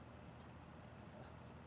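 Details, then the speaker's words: Toastmaster 14-inch mini box fan: soft, steady low hum, even throughout, with no rattle or ticking. It moves lots of air without wobbling; normal running. "This moves a lot of air. It's like you can almost hear the air like being monster. This thing's not moving all over the place either. This is not moving at all and it's not rattling."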